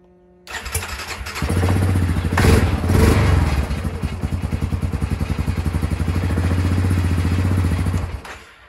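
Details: 2003 Yamaha Grizzly 550 ATV after a new starter was installed and the ground wire reconnected: the starter spins the engine briskly, it catches cleanly and settles into a steady idle. Old starter was the fault; normal cranking and start.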